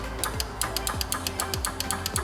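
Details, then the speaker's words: 2014 Ford Explorer 3.5L, engine off, intake oil control valve pulsed with power on green, ground through yellow: sharp, crisp, even, louder clicks; solenoid switching positively and healthy, whereas the exhaust valve stops after two clicks. "Let's see if we can hear a good click out of this one. Oh yeah. That one even sounds louder. Yeah, that's got a nice positive, crisp"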